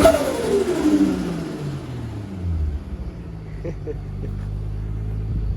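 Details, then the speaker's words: Turbo-converted Nissan R33 RB25 after new head gasket and head studs, good oil pressure, on wastegate pressure around 16 psi before its first drive; rev falls smoothly into a steady idle with no knock or misfire, sounds healthy. "so it should only be 16 psi so we will find out um it seems to be running good sounds good sounds healthy"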